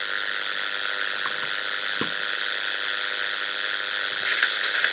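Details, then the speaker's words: Steady high-pitched buzz with a faint hum, heard on a receiver with a broadcast radio tuned to 100 MHz placed on its antenna (10.7 MHz local oscillator); local QRM interference that disappears when the radio is switched off and returns when it is switched on. "this buzzing you hear is my qrm but you can hear it and if i turn off the radio it's gone i turn it back on it's there again"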